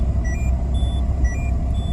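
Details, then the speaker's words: Seat belt warning while driving unbelted: repeating short high chimes over road rumble, indicator lit but no message on the MID, chime growing louder over time until the belt is fastened. "ya, tapi tidak ada notice di MID, hanya ada suara yang terus-terusan dan ada indikator yang nyala. Dan semakin lama suaranya semakin keras, jadi kita bakalan pusing dengernya ya."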